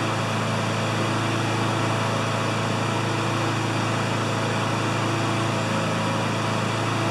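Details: Honda GCV160 mower that ran either flat out near 6,000 rpm or at 2,000 rpm, after bending the governor arm: smooth, even high-speed buzz with no hunting at about 3,590–3,610 rpm by tach, though the uploader thinks max should be 3,100–3,200.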